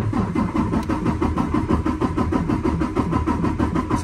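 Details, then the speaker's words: 2019 Freightliner Cascadia DD15 with 785,000 mi, cranking for a relative compression test after a valve adjustment: steady, even rhythm. Cylinders 4 and 6, previously at zero, now read about 96.5%, and one reads 82%. Normal even cranking. "we're going to crank it it's not going to start just hold down the key until it's done on its"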